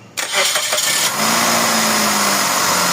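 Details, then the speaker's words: Suzuki Celerio with a hard-starting complaint, first start after throttle body and its ICB were serviced; catches at once and settles into a steady, raised cold-start idle with an even hum and no misses; normal cold-start high idle. "Dapat ganun siya. Mataas muna eh. Nakita mo? Mataas. Nasaan yan? Patay. Oo. Yan yung ano cold start niya."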